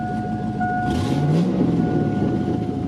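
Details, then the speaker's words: Silverado 4x4 pickup with a cut flex pipe: a loud, raspy low rumble swells as the engine picks up, with an unmuffled bark. Loud exhaust from the cut flex pipe. "exhaust is already cut so and it's kind of loud here we'll start it off exhaust is kind of loud because of that flex pipe but I mean just a little loud"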